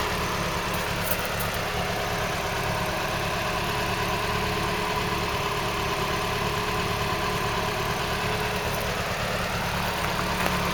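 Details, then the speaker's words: Rescued 2.0 Pinto-engined Ford Cortina Mk3 GXL auto, unused since 1983, warm idle after coolant flush. Steady, smooth low hum, no knocks, misses, rattles or smoke; holding pressure. Normal warm idle. "listen to that engine though doesn't that sound nice now you wouldn't think it's not been running since that amount of time"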